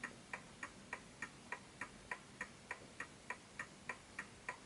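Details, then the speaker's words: Smiths Enfield oak pendulum mantel clock after nudging the case left and right to its level spot: crisp tick-tock, each beat evenly spaced in a quiet room; in beat and healthy. "And as you can hear, it's a healthy tick."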